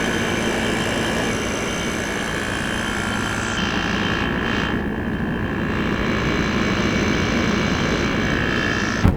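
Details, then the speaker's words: GE 5000 BTU window air conditioner heard from outside at the slightly rusted outdoor side, lots of heat from the back; steady even hum and fan rush, no knocking or rattling; normal running. "This sound never gets old."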